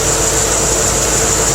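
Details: C4 Corvette idling after its water pump was replaced: steady, even idle with a smooth hum, a light high hiss, and no ticks, knocks or rattles. The earlier noise is gone and it runs quietly and healthy.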